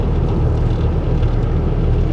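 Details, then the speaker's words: Stolen 2012 Ford F-150 3.5L EcoBoost twin turbo FX4, about 160,000 miles, driving around 55 mph under power in 4-high: deep, throbbing rumble through the truck, first suspected to be tires; bent driveshaft causing driveline vibration. "all the gauges look good but man I hope to God that's the tires I do that's a that's a pretty nasty Rumble"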